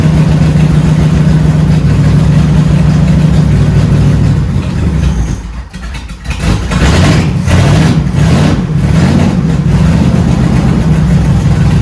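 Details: 1971 Dodge Charger Super Bee with 383 Magnum V8, after a valley pan change for a suspected intake leak: lumpy, uneven idle that stumbles and dips; owner suspects the ignition timing is off again, cause unconfirmed.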